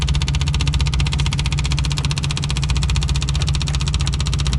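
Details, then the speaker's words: Old VW diesel being primed after a new electric lift pump install: heavy, steady cranking at about four beats a second with no firing at all; cranks but won't start, owner suspects it isn't getting fuel. "I'm not sure it's getting fuel doesn't sound like it"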